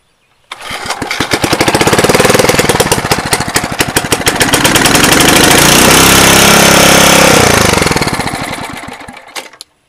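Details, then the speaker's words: Small engine on a roadside-found machine after repair (engine oil changed, auger gear oil topped off) catches within a second, then a fast, even popping beat picks up and holds steady until shutoff; starts and runs healthy. "that thing runs good"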